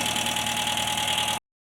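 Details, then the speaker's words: Talbot Express petrol motorhome after crank-no-start from faulty plug lead, fixed with new coil lead, coil connections and spark plug leads: even, steady running with smooth exhaust note, no misfire; starts much better; normal idle. "I've put a new lead on from the coil, new connections onto the coil as well, and all new leads going to the spark plugs. And it starts much better than before."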